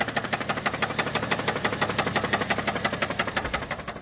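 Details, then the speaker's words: Subaru Tribeca at idle, knocking came on suddenly while driving; sharp steady metallic knock about three per second, heard on the right side near the battery; heavy engine knock, cause unknown. "Беда у меня случилась буквально ехал ехал остановился слышу клацает вот такой стук стучит прям прям обильно"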